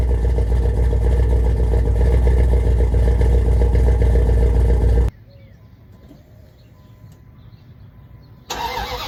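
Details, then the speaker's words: 5.2L Magnum V8 with new headers and exhaust, after replacing burnt ignition wires that caused backfires: deep even rumble about five seconds, no pops or bangs; normal running, no backfire. "There we go. She's not backfiring anymore."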